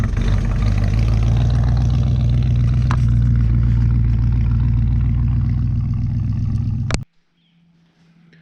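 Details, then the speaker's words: 1964 Chevrolet Chevelle Malibu SS convertible, 283 V8 two-barrel, factory four-speed, just revived, driven to the garage then ignition killed in gear: deep, strong, even V8 rumble about seven seconds, then cuts off; normal healthy running. "I'll drive it again this thing does just sound incredible"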